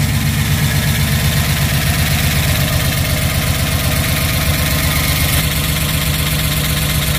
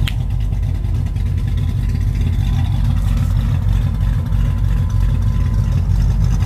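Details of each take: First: Rebuilt 1967 Pontiac Tempest V8 at first start after rebuild, idling: quick steady top-end ticking from the valve train while checking oil reaches the top end. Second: Freshly rebuilt 1967 Pontiac Tempest V8 once oil pressure reached the top end, with exhaust leaks fixed: a deep, even burble with no ticking. The valve train noise has quietened, giving a normal idle.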